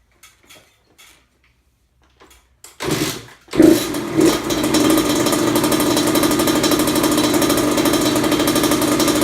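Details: Kawasaki KX100 two-stroke, first start after full engine rebuild, OEM stator fitted, idle and air-fuel mixture adjusted: quiet, then kick and catch, then steady crisp idle holding evenly; normal idle.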